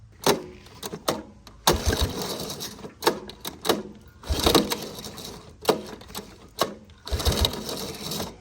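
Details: 1983 Honda ATC 185S, lately starting only with starting fluid, carburetor screw being adjusted out: repeated pull-start bursts, engine coughs a little but never catches; cranks without starting, carburetor adjustment suspected.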